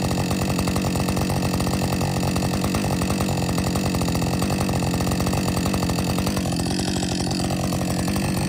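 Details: Warm Husqvarna 562XP chainsaw after dealer software reflash for dying when hot; fast, even two-stroke burble holds steady with no surging, hunting or dying out. Normal idle.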